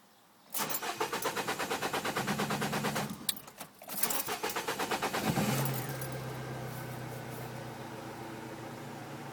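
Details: Peugeot 206 GTi 2.0 cranks twice, then starts into a slightly uneven idle from a misfire; fixed with a new coil pack and set of spark plugs.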